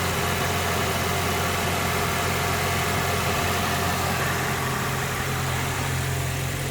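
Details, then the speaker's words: Nissan 240sx S13 SR20DET after a cold start, warming up: steady idle hum with a faint uneven pulse and wobble; rough, rich idle, timing way down, idle air should be closer to 50%, cause unknown despite many replaced parts. "The timing is not looking pretty. Idle air should be closer to 50%."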